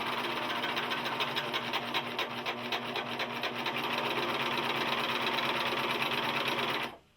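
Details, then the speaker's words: Singer 14J250 Stylist 4-thread serger, straight out of the box and not rethreaded, sewing denim: a fast, steady clatter with a knocking clunk underneath. The source is not isolated; the owner suggests it may need break-in. The seam is unaffected. "up all right I still hear the noise okay so that sort of isolate something chain off"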